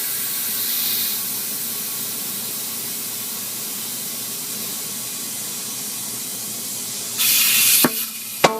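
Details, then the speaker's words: Tire being mounted on a rim by hand at home: steady rushing air as it inflates, then two sharp pops near the end as the bead snaps onto the rim and seats. "See, 2 pops. Let it go a little bit more."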